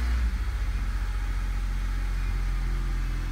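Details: 2004 Honda Civic at idle with code P0303: lumpy, stumbling idle with irregular low thumps from a cylinder 3 misfire, caused by a leaking head gasket; repair confirmed the fix.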